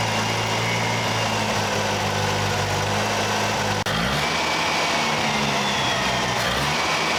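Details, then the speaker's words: 1968 Datsun 520 engine, first run after rebuild with new coil and electronic ignition distributor: steady, even idle with a smooth low hum, one brief dip then settles; runs quiet like a sewing machine. Owner suspects a cracked block. "Good news is the truck's running like a sewing machine. I mean, it's nice, it's quiet."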